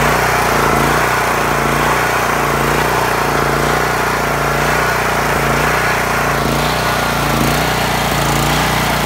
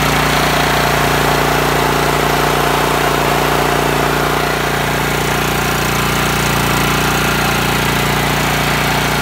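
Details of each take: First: Honda GX390 with new carburetor and spark plug idles unevenly, speed surging about once a second as governor rod hunts; leaking gasket behind carb ahead of the insulator lets air in. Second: A Honda GX390 single-cylinder petrol engine idles normally and steadily with an even throb and no surging or hunting. This is after replacing a fuel-soaked, broken gasket on a machine that already had a new carburetor and spark plug.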